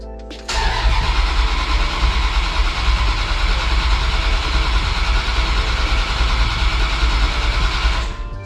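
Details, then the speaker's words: Dodge Dakota R/T, 95,000-mile 5.9L (360 ci) Magnum V8 with new heads and cam, sat for a while. Fuel pump relay removed and cranked to prime. Steady fast even churning crank for about seven seconds, no firing, no grinding; normal cranking. "So let's see what we got. Should have power. The fuel pump relay's out, so let's see if she turns over."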